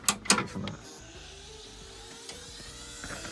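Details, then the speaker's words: Computer powered on with a known-good power supply after a burning-electronics smell: two loud clacks, then a thin wavering whine with buzzing underneath; owner suspects the hard drive. Unhealthy startup. "That sounds god awful. That is like the worst noise I've ever heard from a computer."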